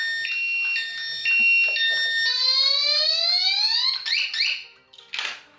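Chirping electronic tones, then a high wailing siren sweeping upward before cutting out: the alarm's anti-theft panic mode sounding.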